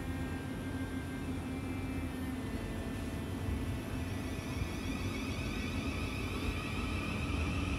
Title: Noisy Class 707 Air Intake